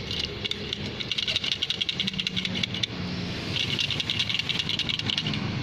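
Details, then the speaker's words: Truck diesel at unstable idle: quick metallic "krek krek" chatter from the transmission that disappears when the clutch is pressed, caused by a loose spring in a half-worn clutch disc. "Ini sangat berpengaruh sekali pada bunyi saat indel. Jadi dia bunyi krek krek krek krek krek krek krek gitu."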